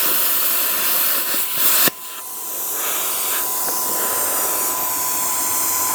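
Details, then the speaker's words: Plasma cutter after replacing its faulty 220 V plug, test cut on scrap metal: sharp start then steady hissing arc with a thin constant tone, smooth and even; working normally. "wasn't the straightest cut let's just try it going straight now so it looks like it works we're back in business with the plasma which is nice"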